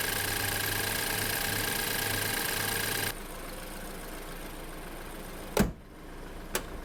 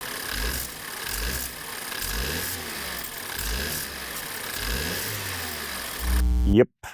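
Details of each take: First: 2013 BMW F10 528i, N20 four-cylinder turbo, after a turbo cartridge rebuild and wastegate adjustment to fix constant wastegate rattle and boost codes: steady, even hum with no metallic rattle, then settles quieter; boost steady, normal running. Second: 2013 BMW F10 528i with N20 four-cylinder turbo revving with a light metallic rattle: constantly rattling wastegate, with random boost codes; common fault, fixed by removing turbo and rebuilding it with a new cartridge.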